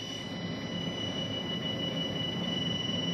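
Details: USB audio mixer setup with a USB ground lifter, buzz appearing when the ATEM is plugged in; steady high-pitched whine over hiss coming through the ATEM mic 1 input, a ground loop buzz.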